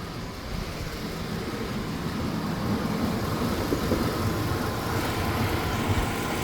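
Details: 1999 GMC Sierra V8 on cold start: rough, uneven idle with irregular stumble, misfires on cylinders 8 and 4 then all, across bank 1 and bank 2, from a leaking intake manifold; manifold removed, cleaned, replaced.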